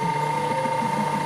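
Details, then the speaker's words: Jammed button-attaching (snap fastener) machine after lubricating the up-down mechanism with Vaseline or rotary grease: steady motor hum with thin whine and even rapid patter, no catching; now running normally, only adjustment remains. "coba lagi Nggak udah jalan udah mau jalan ya Nah ini udah normal tinggal setelan"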